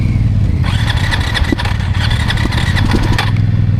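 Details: KTM 690 Euro 5 single cranked after stalling several times within 5–10 seconds, last stall from releasing the clutch in too high a gear: the starter churns steadily but it never fires; probably intake valve clearance near 0.02 mm against a 0.12–0.15 mm spec; cranks but won't start.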